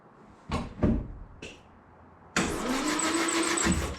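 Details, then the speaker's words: 1968 Land Rover Series 2A 2.25L petrol, unstarted for about 30 years, with rebuilt carburetor and fuel pump, new plugs and HT lead: short starter bumps then steady quick cranking with no firing. Good spark is confirmed and it just needs fuel; cranks, no start. "So, we have spark and it's just about getting fuel in."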